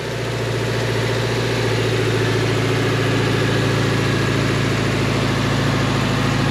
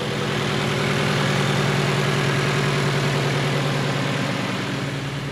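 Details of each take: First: Junkyard engine just swapped into a 2018 Subaru Crosstrek, with a bank 2 knock sensor code: steady low idle with fast light ticking over a slightly uneven beat; valve or lifter noise suspected, possibly sticking lifters, not confirmed. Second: 2018 Subaru Crosstrek after junkyard engine swap and electronic throttle relearn: smooth, even idle with steady low hum, no knocks, misses or hunting, no trouble codes; normal idle.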